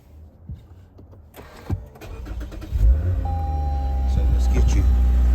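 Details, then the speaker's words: GS with swapped start button, cold start: short crank catches into a deep, loud exhaust rumble climbing to and holding a high cold idle that later drops; healthy start, owner finds it just right. "So you all, for me, that's just perfect. And after cold start, it'll die back down. But to me, it's just right."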